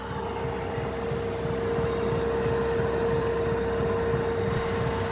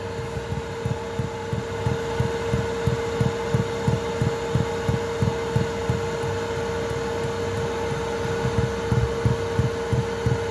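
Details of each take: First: Now have a super quiet fuel pump 👌 Second: Chinese 2kW 12V diesel heater in a VW Transporter T4 at full power: soft regular low thuds about three a second over a steady heater hum as the fuel dosing pump knocks against the boxing-in, before the quieting fix.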